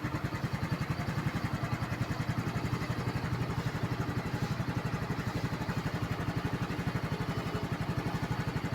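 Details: Yamaha scooter after flooding that left it unable to start, with wet kill-switch and stand sensors, air filter and spark plug: now started with the key, steady even single-cylinder idle with no misses; runs cleanly.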